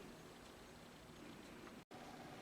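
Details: Laptop cooler pad fan after one drop of machine oil in the motor (previously buzzing and noisy): faint steady whir, soft hum, no rattle or grinding; quiet and healthy.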